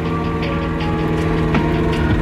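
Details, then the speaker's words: Turbo Mazda Miata that suddenly went wrong despite oil pressure: loud sharp uneven ticking over rough lumpy idle; owner thinks engine blew up, cause undiagnosed. "agnosed it further but it's completely I don't know you hear the ticket pretty bad Oh God"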